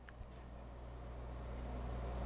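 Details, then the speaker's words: Quiet low hum builds steadily as the small fan spins up, smooth with no scraping. This is the Osicom OfficeMate 286 power supply run unconnected to anything; the fan is on and the supply is assumed good. "it's a good sign it's not connected to anything the fan is on"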